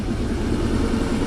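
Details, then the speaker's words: 1994 Ford Ranger 4.0 V6, about 171,000 miles, starts and lopes: uneven lumpy idle, shaking like a dead cylinder; MAF reads 0.08, sensor one rich, sensor two lean, short-term trims 60; possibly flooded or running very rich. "it's shaking like crazy like it has a dead cylinder but it could be flooded"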